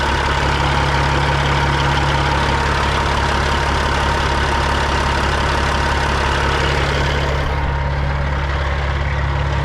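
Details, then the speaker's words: Freightliner FLD120 with Cat 3406E diesel at idle: steady heavy idle with light metallic tap two or three per second, metal-on-metal, noise persists; cause not identified. "Like a tapping noise. Metal on metal. That's not a good noise."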